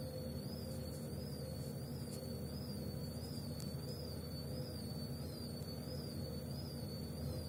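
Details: Gorenje W98F65I/I washing machine, 8 months in service: a high, thin whistle wavers up and down about twice a second over the drum rumble, the drive belt slipping and squealing.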